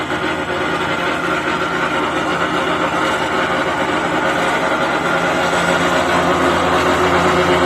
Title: I have a x mark zero turn lawnmower it makes a rattle noise under the deck.